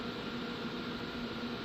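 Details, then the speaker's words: Gatekeeper-built GK800 LD staged 2x8 amplifier with HG 04-4 2879 transistors, 8-pill section switched on so remaining 3 cooling fans start: steady even fan hum, no rubbing or rattling; normal. "Now I'm going to turn the 8-pill section on. And as you see, the remaining 3 will come on."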